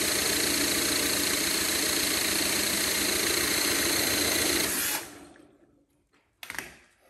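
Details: Honda CT70K1 bought at a swap meet, power-washed (owner suspects moisture): fast even cranking about five seconds with no firing; no spark even after sanding ignition components.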